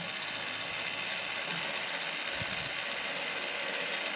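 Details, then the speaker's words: Walker zero-turn mower implement-mount linear actuator with a ball screw: smooth, even high-pitched whir with a fine ratcheting texture as the screw travels. It sounds quiet and works; normal actuator operation. "i think that sounds like ball screw to me sounds good well that at least for 50 i like it this one obviously works yeah that's going to be nice and quiet sweet"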